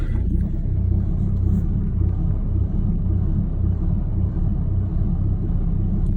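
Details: 2016 Ram 2500, 6.7L Cummins diesel, 68RFE automatic, ~115,000 miles, deleted, idling in reverse/drive: deep uneven rhythmic lope about two surges a second, shaking the truck. Milder in park, gone above 15–20 mph; neighbor suspected cam job.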